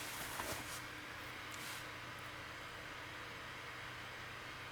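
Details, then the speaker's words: Failing laptop starting up and opening Movie Maker to render a video. Loud, steady rushing whoosh over a faint hum, described as angry sounding. Owner guesses solder may have melted; cause unconfirmed. Loud cooling fan. "my computer starts you can still here the fan it's quite it's quite angry sounding"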